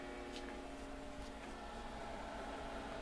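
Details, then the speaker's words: Off-grid battery inverter after repairs for overheated wiring and blown fuse, powering an enamel kiln: quiet, steady electrical hum with even tones holding level under load, no buzzing or cutting out; inverter running fine, wires stay cool. "let's give this a try now when this kiln turns on we should hear the inverter start running"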